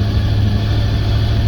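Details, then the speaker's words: 1989 Chevy C60 school bus conversion after fitting a new fuel pressure regulator and inline filter to cure bogging and backfiring, with idle adjusted and coolant added. Fuel pressure holds; steady, even low rumble with no misses, pops or stumbles. Idles smoothly. "All right. So, I adjusted the idle and I gave it some coolant and it's leaking out the bottom. I think we should be good. Fuel pressure is holding."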